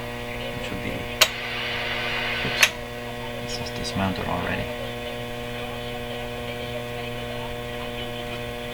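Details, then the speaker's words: RCA Victor Model 911KG radio with a loud buzzy mains hum independent of volume, steady through clicks and knob handling while warming up. "Why are you humming so much? Kind of a buzzy hum."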